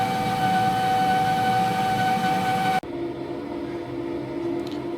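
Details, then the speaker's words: Wall-mounted gas boiler at maximum hot-water demand through an indirect-heating cylinder, gas valve pressure around 30–34 kPa: a steady high whistle over the burner roar, then cutoff. Whistle is from excessive gas valve pressure, to be lowered. "30-32 34 на деметре килопаскаля и вот возникает свист идея такая простая сейчас понизим давление до 1 и 2 и посмотрим что получается"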